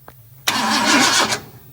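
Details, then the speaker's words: 1958 Ford F100 with a newly installed fuel pump and regulator, cranked with the coil off while fuel pressure starts to build and the carb is checked for leaks: under a second of cranking with no firing. "we have the coil off we're going to make sure we aren't leaking at the carb and then we will see what we have for"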